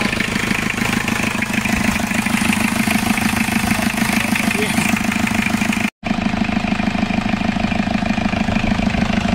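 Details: Isuzu P'up turbo diesel four-cylinder mini truck, first run after sitting 28 years (since 1996), running on parts washer fluid: even diesel clatter at a steady idle with no misses or hunting; a smooth, healthy idle.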